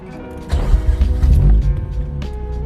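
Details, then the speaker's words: 2005 Mazda RX8 rotary engine with 100,000 miles, hot start: short crank, catches in under two seconds and settles into a raspy, even idle; healthy quick start. "that was a pretty quick start up took less than maybe 2 seconds this engine has a hundred thousand miles and it still runs really really good"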